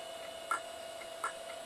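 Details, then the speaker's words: Mid-90s Pentium PC booting MS-DOS from its hard drive: a sharp, dry click repeating three times in under two seconds, the head crashing; after warming up it began to boot. "oh click click click it's trying to start MS DOS there's MS DOS on that drive but the head is just crashing"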